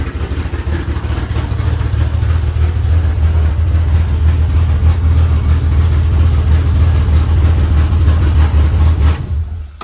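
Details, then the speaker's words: DSM build first run with newly mocked-up belt-driven mechanical fuel pump: deep, steady low rumble at an even pace with no knocks or stumbles until shutoff; normal healthy running. "Whew, baby. Wow, that sounds really good."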